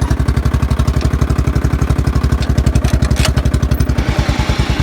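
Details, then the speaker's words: Murray riding mower, old single-cylinder, first start in a long time and due for a rebuild: loud, regular knock at about four per second in step with the firing at idle; heavy internal knock, cause not confirmed. "Knocking pretty bad though. Sounds bad to me. Maybe it's just a flathead thing. I don't know, but I think she's on her way out."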